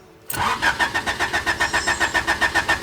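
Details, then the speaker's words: 3rd-gen Honda Prelude with fuel pump kill switch activated: steady starter cranking about six beats a second for two and a half seconds, no catch; won't start because fuel pump is cut. "It's just not gonna start."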